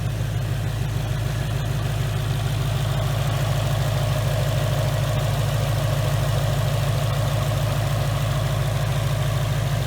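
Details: 2019 Mustang GT with Whipple supercharger, new built engine after a broken piston and melted catalytic converters, breaking in on BR30 oil: deep, even idle with steady pulse, no knocks, misses or ticks; runs smooth.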